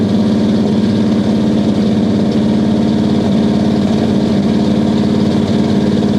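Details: 1969 Buick Special Deluxe 430 big-block with big cam, after opening the fully closed choke: lumpy but steady loping idle at about three pulses a second, no misfire; runs much better, good oil pressure, water temp rising.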